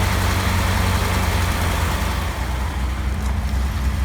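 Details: 1948 Chrysler Windsor 250 six-cylinder, after fuel pump replacement with new filter and 6 psi regulator: deep, steady idle with an even low rumble and no misses or knocks; runs smoothly.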